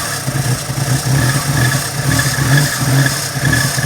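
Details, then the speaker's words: 1987 Daihatsu Charade GTTI 3-cylinder turbo, sat 10 years, sprayed with Easy Start at the throttle: lumpy running rising and falling as it catches; runs on starting fluid, so stale fuel suspected, injector stuck open also considered. "Well, it runs on that. It lives. Wow. It runs on Easy Start. It does. So we must have a stale fuel."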